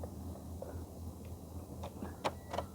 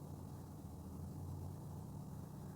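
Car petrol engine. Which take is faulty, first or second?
first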